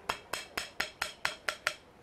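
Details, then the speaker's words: Car front suspension, wheel rocked by hand; eight sharp dry taps about four a second ("tac tac tac") from play in a worn front ball joint, which upsets camber and alignment and shakes the wheel; not repairable, replace it. "o cara fica fora de alinhamento fica trepidando a roda fica bem complicado então você ouviu tac tac tac tac é isso aqui ó"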